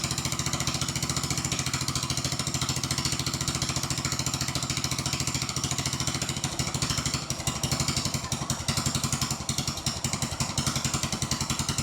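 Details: Old Troy Bilt riding mower, parked since 2014, started on jump box after checking oil: small single runs with a crisp, even beat around three firings a second, holding steady; normal running.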